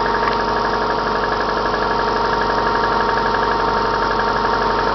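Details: Subaru Forester on Mobil 5W-40, knock on cold start: a steady, fairly even tapping of about three per second at cold idle. It is slight in summer, louder in winter and gone when hot. Owner suspects the timing belt tensioner or a No. 4 knock; unconfirmed.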